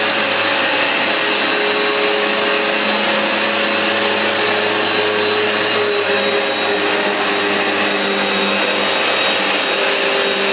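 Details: New replacement Vax Dual Power Total Home carpet washer on a very dirty new rug, producing lots of foam: steady suction-motor roar with brisk dual brush-bar beating and sweeping over it, no catches or rattles; normal running.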